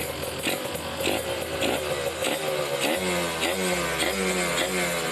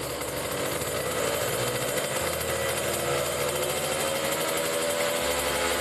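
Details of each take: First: Kawasaki Ninja RR two-stroke with racing exhaust, no air filter, after carburettor setting: crisp rasp climbing cleanly through blips to 3000, 4000, 5000 rpm with no stumble or bogging; normal revving. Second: Kawasaki Ninja RR two-stroke with racing exhaust during carburetor tuning, pilot jet 25, main jet 270, needle changed: raspy buzz revving slowly, briefly held back around 7000 rpm, then spins freely through 8-10k at full throttle; carb setting suspected, not confirmed.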